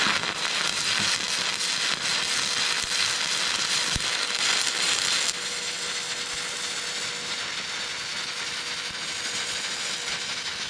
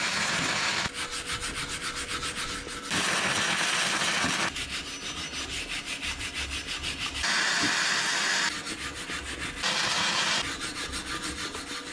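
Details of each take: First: Vevor MIG-250 in stick (electrode) mode at 125 A: a loud, steady frying-bacon crackle with sharp pops, arc burning hot; the welder's best stick bead, but the amperage felt a bit too high. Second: Vevor MIG-250 running gasless flux-core wire: bursts of steady, even frying crackle a few seconds long with no sharp pops between; clean wire feed and a weld with no spatter lumps.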